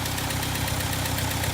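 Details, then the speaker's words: 1964 International Scout 80 four-cylinder, partly warmed up, off choke and idling on its own: low, steady idle with even pulse, no knocks or misses; healthy. "But this is just off choke and it's just running by itself. So, I mean, overall, a good little motor for this thing."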